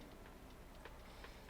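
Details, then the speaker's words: Maxtor hard drive from a woodworking CNC computer that died overnight, fitted with a donor board: faint regular ticks, about three a second, over a low hum as it tries to read. Failing drive; no data recovered. "please don't make it so all this was for nothing it's got the clicky clicks"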